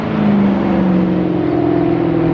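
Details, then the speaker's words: 2018 Maserati GranTurismo with replacement 4.7-liter V8 on first test drive: deep, steady V8 drone pulling cleanly under acceleration through non-resonated X-pipe, sport mode bypassing mufflers, two primary cats retained; normal healthy exhaust note. "gosh that sounds so good that non-resonated x-pipe with sport mode bypassing the mufflers basically it's like darn near straight pipes except you still have the two primary cats"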